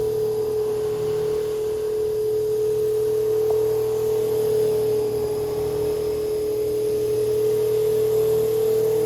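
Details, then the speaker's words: Antique Peerless 8-inch AC/DC oscillating table fan running: a steady mid-pitched whine over a soft hum that fluctuates. The motor brushes are worn short with weak spring tension and should be replaced for quiet running. "You can hear it fluctuating. And um that is uh the brushes. They're not They really should be replaced. They're kind of short and the spring isn't putting as much tension on it as it should."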